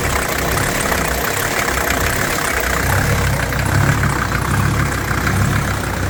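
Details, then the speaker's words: 1983 Mercedes 300D, OM617 five-cylinder turbo diesel, oil still way over full, burning oil, turbo seals shot: idle swells and sags about once a second; surging idle. "almost back to reasonable level I'm wipe that real quick still way over full now it's surging pretty good"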